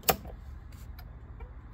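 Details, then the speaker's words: Triumph Stag indicator flasher after a resonator was fitted on the old horn bracket to make it louder: light, evenly spaced clicks about every third of a second, now clearly audible; fix successful. "oh yeah we do yeah that's much better can actually hear it now"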